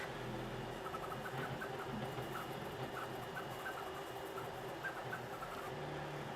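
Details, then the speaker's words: Rat Rig V-Minion 3D printer while printing: light irregular ticks over the steady motor whir, a plastic-scrapey clicking like a cooling duct catching filament; cause not yet identified. "yeah i'm not sure what it is it's clicking it sounds like when the like a cooling duck catches on a bit of filament that's like pointing upwards a little bit it sounds like that kind of plastic scrapey sound"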